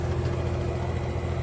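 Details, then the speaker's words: 2007 2.5-ton Trane XR13 heat pump outdoor unit just started; steady even low hum with soft fan rush and no rattles or clicks; compressor running normally. "So, here is a Train XR13 um heat pump running. See, it's just fired up."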